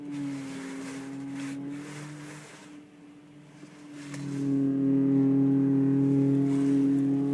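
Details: Audi A4 2.8: steady low whine that fades then swells louder as the steering wheel is turned; steering pump suspected, not confirmed.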